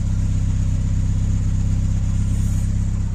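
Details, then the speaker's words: Ford Escort MK2 barn find unused for 27 years, on fresh fuel with block filled with water: deep, even, crisp exhaust beat at fast idle, no stumbles or knocks; normal running, blow-by gone. "it is idling away sweet isn't it sounds absolutely perfect all the blow-by is gone"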